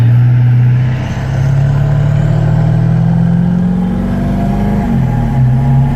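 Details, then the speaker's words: 1997 Ford F-250 Super Duty 7.3 L turbo diesel driving, after AMSOIL synthetic fluid changes to the differentials, motor oil, transmission, transfer case and coolant: smooth low drone climbing gently with speed, no knocks or rattles; healthy running. "Beautiful. Sounds great. So smooth now."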